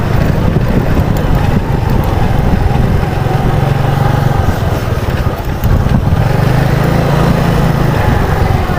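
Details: Yamaha Mio Sporty with a carburetor fault and a suspected ignition fault, hot and at half throttle after the CDI was swapped for an original one: loud, steady drone with no sputter or cutting out. Normal running.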